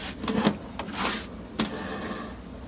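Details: Bowflex TC20 Treadclimber with motor and back bearing already replaced. Rough scraping bursts with each treadle stroke come from a loose separation plate between the treadles, fixed by tightening its nut with a 5/16 wrench.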